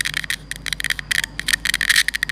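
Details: Bluetooth speaker with constant noise: irregular bursts of sharp crackling over a thin steady hiss. A deteriorated amplifier IC is suspected. Amplifier hiss and crackle.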